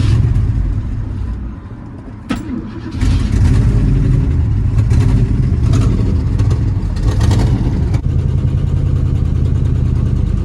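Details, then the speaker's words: 1966 Ford Thunderbird 390 V8 idling after new carburetor and fuel pump, fan off: uneven, lumpy beat with irregular dips; owner says still skipping on 1 cylinder, maybe 2, feels like it runs on 6 or 7. "Definitely still skipping on 1 cylinder. Maybe 2."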